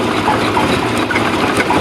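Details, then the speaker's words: Power boat engine on a fiberglass boat, unrun for about a week, cranked at idle throttle during fuel-delivery troubleshooting after a fuel filter change: starts right up and settles into a steady, even idle with no misses, knocks or surging; normal idle. "oh it starts right up i haven't run this in about a week so the fact it started right up is pretty cool"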